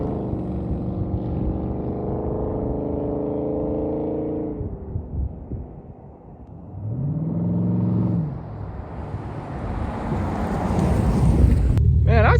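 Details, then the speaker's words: Farm truck pulling away and shifting on a new $80 budget exhaust with a small leak at the clamps: deep, smooth rumble rising and falling under load; sounds good, normal exhaust note. "Man, I'd say she sounds pretty good for a $80 exhaust system. I'm gonna try to close up that leak at some point, but man, does that sound good."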